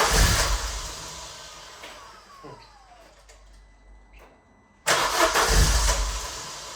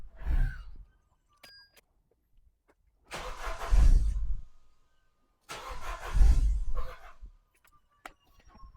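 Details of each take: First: Vauxhall Zafira GSI Z20LET turbo petrol, first run after 7 years parked, fresh fuel added, cold start with high idle: catches and revs, dies back briefly, then picks up cleanly with a strong, even note; normal running. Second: Vauxhall Zafira GSI Z20LET revived after 7 years parked, fresh fuel, airflow meter refitted: three short bursts where it catches, stumbles and dies within a second or two. Owner suspects a vacuum leak and a dirty crank sensor; cause unconfirmed.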